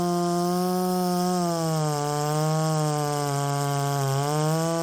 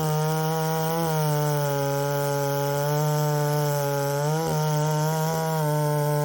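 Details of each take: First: Poulan 3750 chainsaw with adapted Chinese carburetor, previously ran erratically when hot, same tune: steady two-stroke buzz holding pitch with slight dips and recoveries under throttle; normal running. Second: Poulan 3750 chainsaw, ported, with Chinese Echo 590 replacement carburetor adapted: high buzzy note sags and wavers before revving; runs and tunes erratically when warm even after carb swaps; owner suspects a cracked crankcase.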